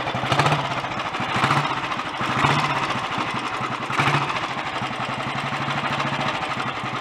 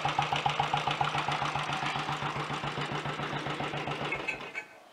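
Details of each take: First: Early Redditch Royal Enfield 350 Bullet after unblocking pilot jet, new oil pumps and head tightening, ignition slightly retarded: steady single-cylinder thump with gear-train chatter from the dynamo and magneto drive, no engine clatter or knock, no smoke; normal idle. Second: Early Redditch Royal Enfield 350 Bullet with a later Concentric carburettor and new oil pumps, being revived. Single-cylinder idle with a light, regular top-end tick over its thump, then shut-off. Cause: excess play in the exhaust pushrod, adjusted afterward along with retightened cylinder head nuts.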